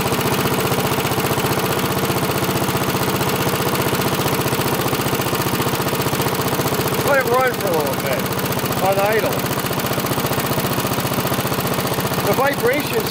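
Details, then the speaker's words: Rickel lawnmower, small single-cylinder engine, idling after an adjustment (set to 28–30 instead of 32) and fuel turned back on following a bad fuel leak: steady putter at about three beats per second with no misses; the carb doesn't seem to be leaking and it runs fine. "okay carve doesn't seem to be leaking it's running fine"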